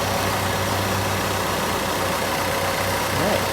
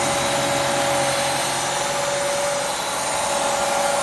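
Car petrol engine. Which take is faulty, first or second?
second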